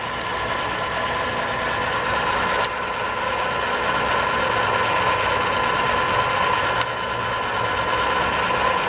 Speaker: Feeds are very strong. I don't know if you guys can hear it, but every time you hit a gear range, it'll click in.